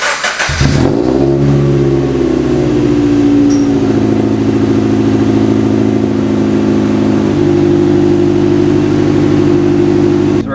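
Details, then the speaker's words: Subaru BRZ cold start just after fitting a Ptuning equal-length header: quick catch, then a high cold idle settling into a steady, smooth drone with no knocks or ticks. A healthy cold start. "All right, we're going to do a cold start. see what it sounds like with equal length headers this time and compare the two."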